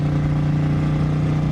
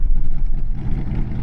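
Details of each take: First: 1955 Ford with 292 V8, straight-piped, unknown 2- or 3-speed Ford-O-Matic, at 70–80 mph on I-70 passing a semi: deep, steady roar under hard throttle, no knocks or misses; healthy pull. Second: Untested 1955 Ford idling on a road trip; deep, lumpy idle that surges and dips unevenly, a miss or stumble; has a lifter tick, valves likely never hot-lashed, possible vacuum plug issue; cause unconfirmed.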